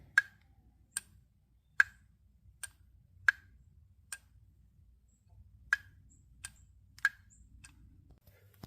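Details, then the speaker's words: Audi throttle body removed from car: light sharp slightly uneven ticks about every 0.8 seconds from a loose freely moving internal wheel/gear, harmless; normal throttle body gear clicking. "so that clicking noise that you're hearing is this wheel right here that's just sitting loose so it just moves freely so don't freak out if you hear it it doesn't mean that it's bad"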